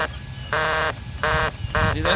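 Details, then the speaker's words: RC car steering servo: short buzzy, chattering bursts each time the steering is turned, not from rubbing; with the horn removed the servo would not spin, confirmed dead. "that's the servo noise and I don't think it's because it's rubbing"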